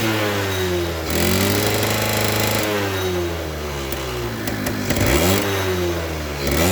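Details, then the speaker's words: Suzuki RC100 two-stroke after cleaning the clogged pilot and main jets: it starts and idles well but revs up and drops back, never climbing clean and high. Throttle feels heavy and fuel-hungry, pointing to an over-rich carburettor; the needle is to be checked next. "Tetapi di sini gasnya ndak bisa meraung tinggi karena sepeda motor ini terasa terboros, terasa boros ya teman-teman, boros BBM yang saya maksud, karena gas-gasannya ini berat."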